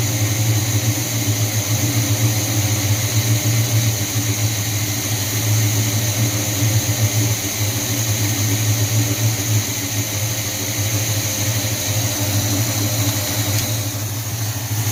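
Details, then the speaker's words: 1978 Chevy C10 350 V8 after new Edelbrock intake, water pump, belts, thermostat, hoses and valve covers: loud, fairly even idle with steady exhaust burble, no drop-outs, sounds like it's running on all eight; earlier misfire gone, owner guesses old intake leaked. "I guess that intake was leaking before. Oh yeah. God, that sounds good."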